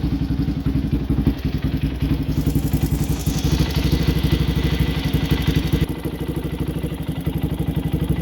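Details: Raptor 700 single-cylinder ATV idling just after an NGK CR5 racing spark plug cable install; uneven, loping thumping at about four beats a second, hunting idle. Owner says it idles funny because of other recent work and it needs a new tune.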